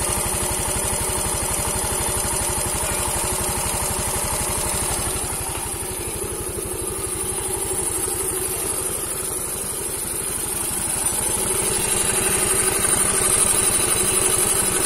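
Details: Yamaha Mio M3 125 scooter after cylinder block and piston replacement, damage caused by running out of oil, running on a straight open exhaust; steady even beat around four pulses a second, no knock or rattle, smoother than before repair; normal idle.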